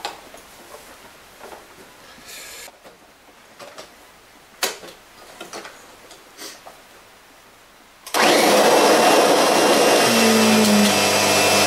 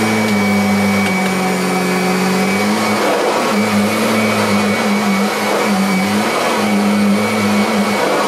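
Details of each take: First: Kirby Sentria II vacuum, 700-watt motor, during salt pickup comparison against the G4: after quiet handling it starts with a loud harsh roar and a faint high whine over the motor. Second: Kirby Sentria II, practically a new machine, running 10 salt-pickup passes: smooth, steady motor hum holding one pitch with slight load dips per pass; healthy-sounding vacuum motor.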